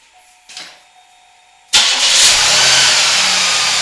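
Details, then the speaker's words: 1991 Buick LeSabre 3800 Series 1, after fixing a ticking/clunking noise by realigning the crank pulley and refitting an older belt: quiet pause, then the engine starts and settles into a smooth, even idle with no noise. "well that seemed to do it so that might have been a little anticlimactic for you viewers but I'm definitely okay with that my car is fixed it doesn't make any noise"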